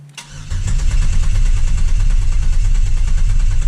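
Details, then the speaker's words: 2000 Camaro 3.8L V6 after reinstall, spark plug wires and PCM ignition fuse back in, overfilled with 8.5 quarts oil: steady even cranking about one and a half turns per second priming oil pressure, reaching 60; normal. "we are building oil pressure let's go crank one more time all right we are up to 60 we have oil pressure"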